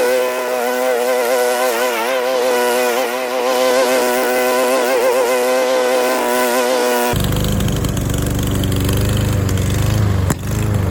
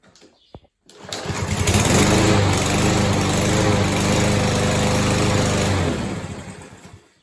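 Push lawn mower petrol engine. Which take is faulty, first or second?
first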